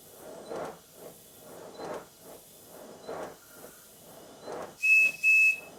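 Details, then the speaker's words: Miniature steam locomotive being recommissioned after sitting with water left in the cylinders, on a rolling road at low pressure: uneven soft exhaust puffs about two a second, then whistle blasts; likely rust still in the cylinders, will wear away. "it's not too bad the Beats aren't terribly even but then again part of the cylinders still probably full of rust this will take a while to wear away"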